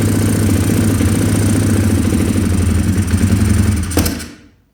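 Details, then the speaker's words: 2020 Orion RXB 150 pit bike, bought used: lumpy single-cylinder idle with wandering uneven beats, stumbles and dies, some smoke; owner suspects the carburetor isn't jetted, smoke blamed on oil overfilled to the brim. "It doesn't run very good because this engine does not run very well because the carburetor is not jetted at all."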